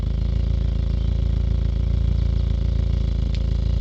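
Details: Engine misfire at idle: lumpy idle with a steady uneven chuff about four times a second; one fuel injector not spraying properly, delivering 20% less fuel than the others.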